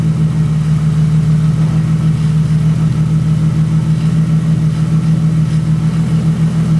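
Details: BMW E36 with freshly installed M52B30 inline-six, first run after the swap with the EWS bypassed by a jumper: smooth, even idle with a steady low drone and no knocks, misses or ticks. Running cleanly.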